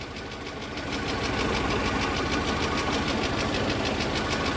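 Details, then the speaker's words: VAZ 2112 with a faulty ignition module whose resistance measured below spec, warming toward operating temperature: the idle develops an uneven chuffing beat about three times a second as spark drops out and the engine shakes. Misfire from the faulty ignition module. "По чуть-чуть А уже слышно как пропадает Искра и идут перебои вот было потряхивание ждём ещё"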